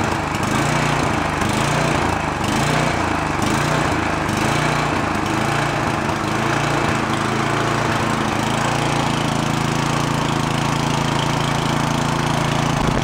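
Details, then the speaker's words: Free roadside snowblower started choked on fresh gas: the small engine idles unevenly, its speed swelling and sagging about once a second; the carburetor is hunting because the idle circuit is dirty, and the fix planned is removing the idle screw and blowing it out. "carburetor is hunting. The idle circuit is dirty. That's what's causing that."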